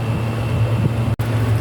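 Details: Exhaust fan that spun intermittently and slowly, after replacing the failed start capacitor (original 1 µF, replaced with 1.5 µF): steady low hum with an even drone, no scraping or hesitation, spinning up strongly and running normally.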